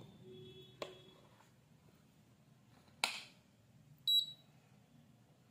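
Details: AC control PCB after its stuck, shorted relay was replaced. On switch-on in a quiet room there are a few short high beeps and a click, then the motor starts running; normal power-up.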